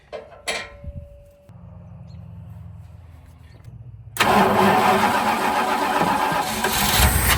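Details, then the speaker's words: 1970s–80s Dodge W300 Power Wagon (described as 1980) after sitting for years, supply line pulled: clanks then a steady starter grind that never fires; no fuel reaching the engine, fuel filter bubbling, sucking air from the tank. "All right, so we're definitely not getting no fuel. It's bubbling in the fuel filter down there on the bottom, so it must be just sucking up air from the tank."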